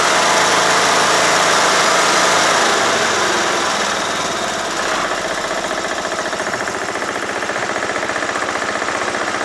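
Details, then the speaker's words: John Deere L100 lawn tractor small engine, very cold day, after carburetor cleaning and valve adjustment: long steady whirring crank about four beats a second without catching; still hard starting. "so see doesn't start any easier"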